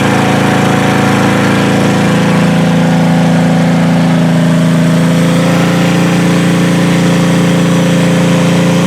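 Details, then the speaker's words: Demolition-derby H-body car after a derby with a crushed firewall: engine fires up and holds a fast, steady idle well above normal; not the throttle, owner suspects a vacuum line, unconfirmed. "Well, she fires up, but she's definitely still at a very high idle. But it's not the throttle, so I'm wondering if it's a vacuum line or something."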